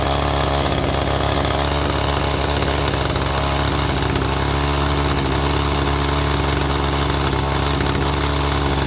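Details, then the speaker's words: Echo GT200i string trimmer with easy-start system and aftermarket carburetor, choke off, carb adjustment being tried: buzzy high-revving two-stroke runs steady and loud then conks out; owner suspects the aftermarket carb. "And it just conked right out. Interesting."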